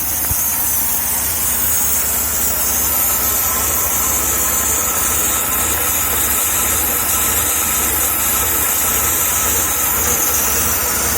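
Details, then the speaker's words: 1994 Jaguar XJ6 (XJ40) after replacing a cracked crankcase breather hose: uneven idle with a loud steady hiss, a vacuum leak suspected under the intake manifold between cylinders 3 and 5, not yet located. "it seems to be down underneath the intake manifold between cylinders 3 and five somewhere but I can't figure out where that would be now that I've got the larger vacuum leak fixed"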